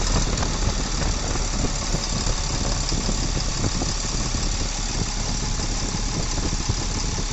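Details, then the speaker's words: Tata truck with Cummins BS4 diesel after work to cure tapping: deep, even idle with smooth steady beat and no tapping, sound now sweet; normal idle after repair. "तो finally दोस्तों अभी हमारा काम हो चुका है लगभग total tight हो चुका है और इंजन अकाउंट सुन लीजिए काम होने के बाद का ठीक है ना थे साउंड एकदम बदल चुका है साउंड मीठा हो चुका है"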